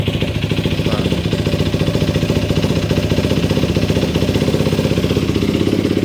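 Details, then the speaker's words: Yamaha YFZ450 single-cylinder quad, started on a jump box after fixing a shut-off and no-spark fault: a crisp, even thump at a fast idle that picks up cleanly on a light blip, running smooth and healthy. "Oh yeah. Sounds so good. I miss this thing. This ain't just idle."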